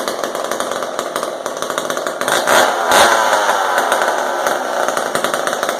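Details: Old McCulloch Super 10-10 chainsaw, carburetor not disassembled; old fuel dumped and replaced, high and low needles adjusted. Crisp, even two-stroke buzz that picks up cleanly when revved and settles without stumbling; runs normally and sounds pretty good.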